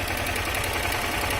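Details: Honda CG 160 Start single-cylinder motorcycle at 29,000 km, engine died earlier from neglected low oil and leaking oil: fast, hard clatter over the idle beat, loud from the top end; strong engine noise, source not yet pinned down.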